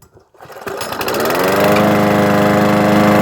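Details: PowerSmart 161 cc lawnmower that had low power and wouldn't start, after spark plug work and priming: after a short pull the engine catches, climbs quickly and settles into a steady, even run with no misfire or sputter.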